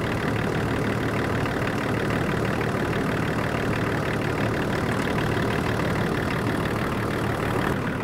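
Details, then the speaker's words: 24-year-old Range Rover P38 diesel, abandoned over five years, idling after coolant drain, refill and bleeding, jump-started, warming to thermostat temperature; idling nicely, sounding really nice, with wind whistle from loose window trim; normal diesel idle. "now that she's idling away there nicely sounding really nice"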